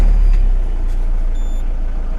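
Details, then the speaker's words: Peugeot Partner 2.0 HDi 8-valve diesel after alternator replacement, started out of gear; catches immediately, battery light out straight away, steady even idle with no belt slap or squeal, though tensioner could be renewed; normal start and idle. "Also listen for any noises. There's no noises, so that's all good."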